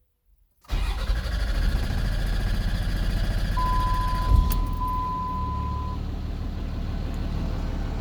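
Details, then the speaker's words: Cummins diesel pickup starting after replacing water separator and secondary fuel filters, primed by cycling the key: quick catch and fire, then steady even low idle without stumbling or misses; best startup in about two months. "Woo! Woo! That was the best startup it's had in a long time."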